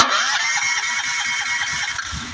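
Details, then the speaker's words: Honda GX390 engine on key start cranks in steady even pulses but never catches. A spark tester shows no spark, and the faulty low-oil sensor on the side of the block (yellow wire) is killing the ignition. "I'm turning the key it's cranking it's cranking I checked the spark and there's no spark"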